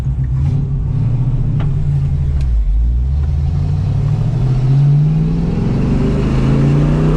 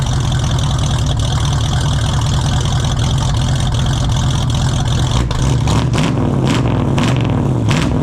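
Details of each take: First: 1968 Ford Mustang 302 V8 on the road with new JBA tri-Y headers, X-pipe and dual exhaust; downshifting and slowing, the burble falls smoothly, and the earlier popping and backfire on deceleration is gone; normal exhaust on deceleration. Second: 1968 Ford Mustang 302 V8 on its old open exhaust, before JBA tri-Y headers, X-pipe and dual exhaust install: loud lumpy roar, too high-pitched and obnoxious, crackling, popping and backfiring as revs fall, really poppy at high RPM.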